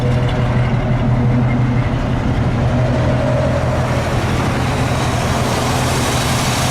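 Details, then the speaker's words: 1968 Chevy truck V8 with new 4-barrel carburetor, distributor cap, coil, Flowmaster exhaust and flattened, leak-free exhaust manifolds: deep, steady burble with loud exhaust note, no knocking or tapping; healthy, even idle. "So it sounds pretty good. No knocking, tapping, or anything like that."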